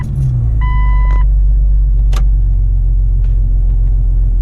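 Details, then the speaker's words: Jeep Cherokee XJ idling just after an ECM reset (battery cables joined 30 seconds) to learn new refurbished 4-hole injectors; deep, fairly even rumble with slight unevenness and a chime, expected to run rough for several cycles. "And it should be trying to learn those new injectors. supposedly it's supposed to run a little bit rough at first, and it's supposed to be quite a few cycles before it actually starts to idle correctly or normally."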